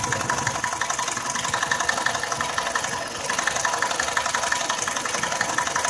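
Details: Nissan X-Trail at 346,000 on the odometer; engine rebuilt 2.5 years ago for oil consumption. Runs perfectly cold with no codes. At 11 minutes of warm idle a steady light ticking knock starts near the timing drive. Removing the drive belt changed nothing; owner suspects the timing chain.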